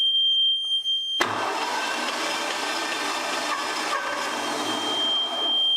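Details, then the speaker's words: Dusty Hatz diesel after a rough valve adjustment without specs, cranked with the decompression lever: uneven churn as the decompressor releases and some compression builds. No smoke and no firing; it cranks but will not start. "that sounded better hey look at that you could hear it decompressing and you tell when the valve's starting to close at the right time we started ending up with some actual compression and load on there still no smoke out of the engine though but it's sounding better"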